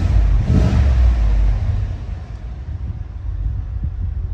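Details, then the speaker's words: 2018 Cadillac Escalade V8 after DOD delete (BTR cam, LS7 lifters) fixing lifter tick, shorty headers and Magnaflow muffler: quick rev swells and settles smoothly, no ticking; no codes, good oil pressure, tick gone. "No codes. Good oil pressure. Revving it up. Don't hear anything."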